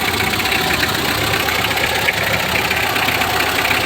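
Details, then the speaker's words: Mitsubishi L300 4D56 diesel after cylinder head replacement, injection timing set back because over-advanced fuel delivery caused incomplete combustion and knocking: steady even diesel clatter at idle with no sharp knock; now quiet and smooth. "So ngayon wala na siyang knocking, no? Tahimik na, maririnig nyo naman, tahimik na yan."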